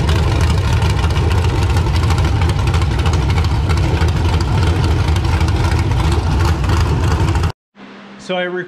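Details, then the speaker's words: LQ9 V8 with Texas Speed Magic Stick 4 cam on run stand, Holley Terminator X handheld base tune, not yet fully learned: deep steady rumble, even firing, no misses, knocks or hunting, healthy idle. "as you can see now it does run it sounds good"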